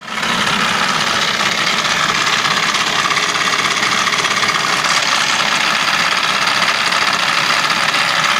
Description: Noise when aircon turned on